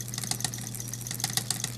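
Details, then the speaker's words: Smith Corona electric typewriter running: steady motor hum with irregular sharp slapping clacks from an incredibly loose, frayed drive belt flapping, bad for the bearing; belt to be replaced with O-rings. "it works but it's banging and this is why I don't know if you I don't know how well you can see this but this belt is just incredibly incredibly loose"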